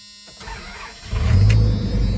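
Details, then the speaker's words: 1997 Ram extended cab, V10, 159,688 miles, hot 91-92 degree day: old-school door buzzer, then V10 fires right up into a deep steady rumble; clean healthy start. "And it fires right up. This baby has 159,688 miles. It's got the V10."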